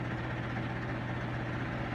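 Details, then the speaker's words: Whirlpool Duet steam washer on normal cycle, heard from the back near the motor, spin: steady low hum near 120 Hz, mild even vibration as drum ramps up; normal spin ramp-up. "yup got the washer on the test it's on the spin cycle right now at williams house fixing to ride and here it goes it's ramping up you hear it"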